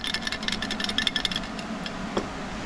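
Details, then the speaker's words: Fuel filter removed from a Harley-Davidson Fatboy that ran rough after a 12,000-mile trip, shaken by hand: a quick, dry rattle of loose dirt inside the clogged, flow-restricted filter. "first job is done that is this fuel filter you can actually hear it rattling"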